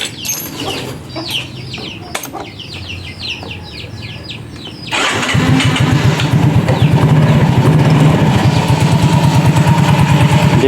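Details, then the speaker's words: Yamaha Mio J automatic scooter after replacing the starter one-way clutch, run without the CVT cover: cranks and catches, then settles into an even steady idle with no rough rattle; normal idle, noise fixed. "udah terdengar halus, bisa dilihat bisa didengar buat teman-teman. Kembali halus."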